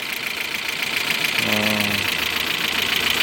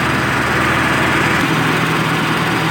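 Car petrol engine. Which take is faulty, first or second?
first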